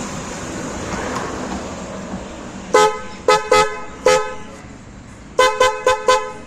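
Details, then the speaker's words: Ashok Leyland Dost with two horns fitted, one on each side, wired through a fuse: seven short, clean, bright toots in two bursts, loud and steady in pitch with no rasp; normal dual horn. "இங்கே ஒன்று வச்சுட்டேன், அங்கே ஒன்று வச்சுட்டேன். நல்லா இருக்குது."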